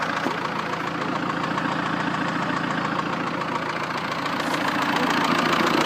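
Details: 1.9 JTD diesel idling with a new, distinct sharp knock of about three and a half beats a second. Diagnostics said an injector is unlikely; source unknown.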